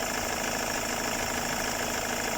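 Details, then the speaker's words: Ford Mondeo TDCi diesel at idle after EGR cleaning and manifold removal, listening with a hose for turbo or vacuum leaks; smooth steady idle with even tick, no hiss or whistle, nothing heard. "So I mean, I can't hear anything on idle, so that's basically what we're going to do."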